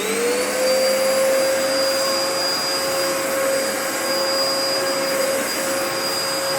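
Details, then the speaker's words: 2004 Dyson DC14 Animal vacuum, repaired, first run after fitting a new HEPA filter; motor spins up quickly to a steady high whine with even airflow rush, no rattles or pulsing; running normally. "I fixed it up and it works pretty well so you know why don't we take it for a bit of a test run and we'll see how it runs this is the first time I've ran it since I put in the HEPA filter so let's see how it goes"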